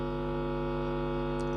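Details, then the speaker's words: Power amplifier playing on one side only, signal traced through the channel: steady low electrical hum and faint buzz, very little sound coming through; weak channel signal. "อาหารนี้ก็จะมีเสียงนะครับอ่ะแต่เสียงเบานะครับ"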